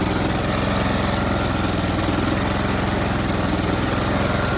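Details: Toro Z4200 TimeCutter 54" zero-turn mower, once submerged in Hurricane Irma and parked about 2 years, just revived with fuel, a charged battery and some jerry-rigging: steady, even, fast chugging with no misses or knocks; engine running cleanly.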